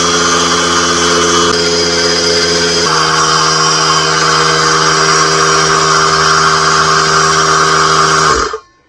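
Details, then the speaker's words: New Harbor Freight small air compressor on first run: high-pitched, even motor whine and pump drone filling the tank steadily, then shutting off cleanly; loud but normal running. "yeah it's pretty loud uh it's not quite as loud as the other one but it is loud and it's a higher pitched noise so it's more uh agitating so there you go"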